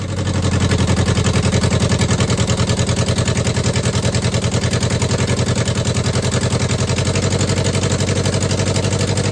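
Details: 2009 Subaru Forester X NA EJ253, first start after engine install with new remanufactured OEM heads: lumpy, uneven idle pulsing three to four times a second, misfire suspected; ignition coils and injectors untouched, owner suspects a coil or injector.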